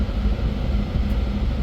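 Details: Candy condensation tumble dryer on test run after replacing a defective thermostat, heater getting 230 V and heating: steady low hum and drum rumble, no knocks, squeals or scraping; running smoothly, normal.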